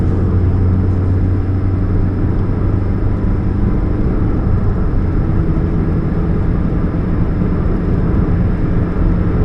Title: What's that Humming Sound, Catalytic Converter Leak, 2013 Chevrolet Spark, 29 July 2015, GP049051